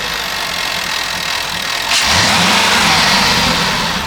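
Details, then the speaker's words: Jaguar XK after oil overfill corrected, idle then quick rev: rising hiss and sweep in the note; owner suspects an air leak causing high short-term fuel trims, needs investigating. "Did you hear that noise? That sounds to me like a leak somewhere. I think that could be the root cause of these short-term fuel trims being high."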